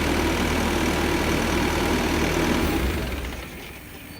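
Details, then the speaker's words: Bobcat S630 skid steer, Tier 4 diesel, after oil and filter change: settles into steady even idle for a few seconds then shuts down, nothing knocking; no leaks found, normal idle. "Okay, now it's gonna get loud here. Mike's gonna fire it up. We're just gonna check for leaks and just let it run for a few seconds."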